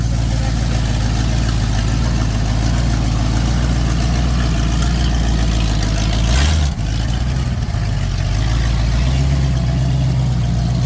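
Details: 1992 Ford F350 tow truck, just off the trailer and needing a driveshaft, has an uneven, lumpy low idle with a surging beat and a brief stumble; runs rough, cause unknown, owner thinks it's time to replace the ignition.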